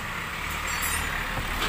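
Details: Recently repaired Hyundai Accent while reversing, after an earlier rubbing shock-mount noise was eliminated: a thin, high creak rises over the low rumble, suggesting something loose or dry underneath.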